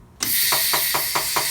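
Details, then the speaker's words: Tire changer seating the bead with air pressure: rush of air, then short pops as the bead snaps onto the rim; top bead heard, bottom slid on quietly due to heavy soapy wax lubricant. "Give it a little air down below here. And if you watch or listen, you'll hear the beads pop on."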